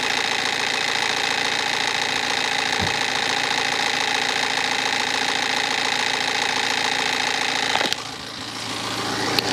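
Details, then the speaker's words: BMW 318D with N47 diesel, cold start, loose engine cover: busy rattle about four times a second over diesel clatter; timing chain suspected but unconfirmed, also a squeak probably from the alternator pulley. "Okay, so there definitely is some kind of rattle on startup. I don't think it's helped with this engine cover being loose, so we'll get this out of the way."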